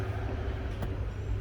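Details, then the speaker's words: 2012 Chevy Express 6.6 van with engine running after replacing the A/C compressor clutch: steady, even hum with no grinding, chatter or squeal; compressor clutch engaged, pressures coming down correctly. "all right guys so everything is good this is working as you should the prion is being cut down to the right uh pressures"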